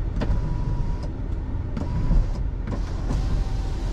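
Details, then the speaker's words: 2012 Chevrolet Suburban, auction preview: short even sunroof motor whirs starting and stopping cleanly over low cabin rumble; sunroof works, normal operation. "the sunroof works too so looks like everything works on this car"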